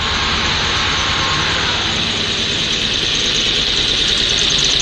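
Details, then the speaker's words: Car idling after a cold start, heater on high, in a garage, exhaust smoke gone: faint, slightly uneven beat under heavy hiss that never quite settles; rough idle. "sounds like it's idling a little rough."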